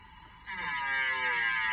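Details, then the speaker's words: Develon DX19 mini digger, machine off with ignition on, arm let down: steady high-pitched groaning squeal; mechanic suspects a dry pin despite plenty of grease, probably not the ram, and plans to pull the pin to inspect. "To me that sounds like a dry pin, but there was plenty of grease clattered about it. I don't think it's in the ram anyway"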